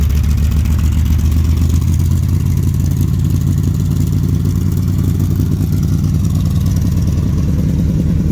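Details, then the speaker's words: Dodge street van with new custom side-pipe exhaust, V8 warming up (choke may not be working, runs rich): deep even burble at idle, picks up smoothly when revved, no misses or rattles; not obnoxious, normal running. "that sounds pretty good it's not obnoxious"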